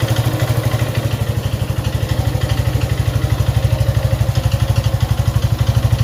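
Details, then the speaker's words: Suzuki Gixxer 155cc single idling with fast even clatter, about three per second, over idle thump; top-end tick, owner neglected oil; suspected timing chain, loose valves or worn piston/rings, unconfirmed before teardown. "Mir, aquí tengo una Suzuki Jixer, el cual tiene un ruido en el motor."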